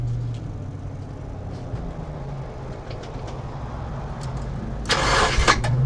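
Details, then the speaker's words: Nissan S13 SR20DET first cold start after installing an eBay turbo, IS-R turbo lines and an ECU-connected oxygen sensor: it catches on the first crank and settles into a steady, slightly fast warm-up idle, no smoke. Normal. "was first try start it up idoling a little high right now but that's probably just cuz trying to spy just trying to warm up"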